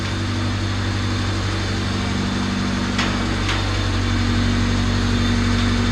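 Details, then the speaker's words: Honda CRX on a chassis dyno during first test: dyno water pump, plugged in to circulate water from barrel through dyno, loads up steadily with good firm pressure; even motor drone, low hum, no knocking or surging, car idling nearby; normal pump under load. "you can hear the water pump load up. So we got good pressure. This is nice and firm."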